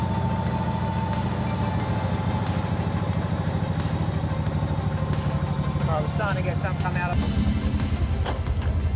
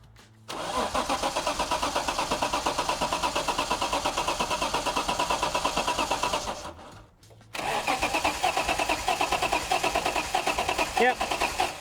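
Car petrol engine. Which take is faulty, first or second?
second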